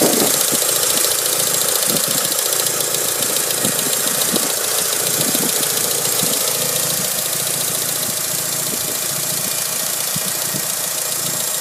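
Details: Mitsubishi Lancer Evolution 5 (Evo 5) petrol engine ticking at idle, light steady ticking about three to four clicks a second, very loud when cold; running GTX 15W-40 oil.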